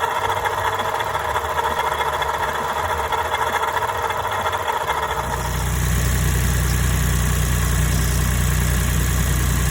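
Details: Daihatsu Copen LA400K with KF engine, after repairing a noisy water pump: fires up and settles into a steady, even idle with a smooth low drone and no whine or rattle. Normal running after the repair.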